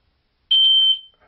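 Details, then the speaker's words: Smoke detector tested by pressing and holding its test button; one loud, shrill, steady beep near 3 kHz lasting about half a second, then quiet, showing it works: smoke alarm working on test. "if you want to test a smoke detector to see if it's working, one way to do that is you press a button and you hold it down for a minute, and now you know it's working."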